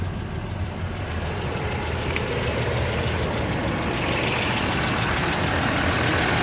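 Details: 2013 Ram 2500 6.7 Cummins diesel, 39,000 miles, G-56 six-speed manual, at idle: a steady light tick about four times a second. Caused by out-of-spec valve lash, some exhaust valves at .032"; reset to .010" intake/.026" exhaust fixed it.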